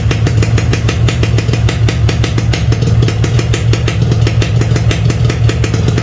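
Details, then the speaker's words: Standard Yamaha RX King two-stroke, cold first start with choke pulled: fast even popping over steady low rumble, holding rough cold idle; normal for cold engine, not a fault, choke provided by factory for this. "kalau pertama kali dparis ditarik joknya Nah kalau kayak gini disebutnya masalah bukan bukan ini bukan bukan suatu masalah berat ya temen-temen"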